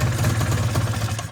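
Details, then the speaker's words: Arctic Cat ZR 440 two-stroke snowmobile after rebuild, only lukewarm: slow, lumpy idle with uneven low pulses that sag and die away; idle speed set far too low. "See if she's going to fire up first pull. But again, idling way too low."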